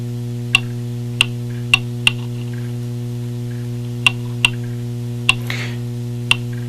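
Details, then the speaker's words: Antique Seth Thomas clock movement during beat setting by minimal swing method: crisp ticks over steady hum with alternating short and long gaps; out of beat, adjusted too far. "we go until it ticks and then let it go and it talks let's go the other way and it didn't tick all right that means that it's long on this side"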